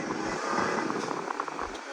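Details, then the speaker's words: 2016 Honda HR-V cabin blower after replacing the noisy, weak blower motor: steady even rush of air at top fan speed, no rattle, squeal or ticking; blower now smooth and stronger. "Works. Wow. And you can hear there's no more noise. Sounds very smooth now."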